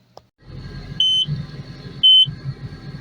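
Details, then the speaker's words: Takeuchi TL12V2 at -30°C, running about 30 minutes after additive; three sharp high beeps a second apart over low diesel idle: code SPN 523620 FMI 2, ECU-ACU CAN communication error, cause unknown. "okay so that code there says it's 523-620 fml2 says ECU ACU can Communications error"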